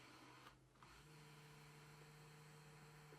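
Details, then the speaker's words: 1989 Porsche 911 Carrera 3.2 Cabriolet, power side mirror after repairing hacked door wiring: quiet steady small-motor whir, no clicking or binding; mirror moves correctly, normal operation. "all right I think we're done here everything moves as it should in the right direction goes down"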